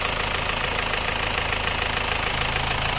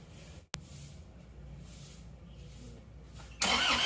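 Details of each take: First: Isuzu Panther diesel after engine rebuild (new liners, rings, pistons, clutch, seals) following radiator water loss, warm after a short test drive: even clatter at steady idle, no misses or knocks, very smooth like new, clean exhaust. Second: Isuzu Panther diesel that ran out of radiator coolant, cold morning start before repair: cranking drags about three seconds before catching, rough running, white smoke; hard start from seized piston and damaged liner.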